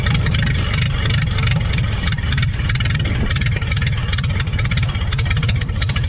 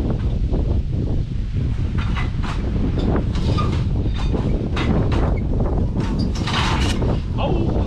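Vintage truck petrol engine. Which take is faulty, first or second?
second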